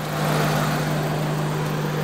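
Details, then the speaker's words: Honda Civic at idle with AC on after the compressor clutch gap fix for AC cutting out: steady low hum with the compressor spinning, no clatter, squeal or grinding; normal AC compressor running. "got it on spinning professor is working like it's supposed to now it's not making any funny noises or nothing"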